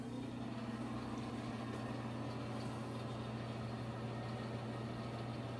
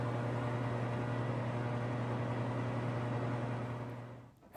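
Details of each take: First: Old bathroom ceiling exhaust fan after cleaning and reassembly runs with a steady low hum and soft airy whoosh, no rattle or grinding, much quieter than before. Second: Here is a loud old ceiling fan that we're going to fix today.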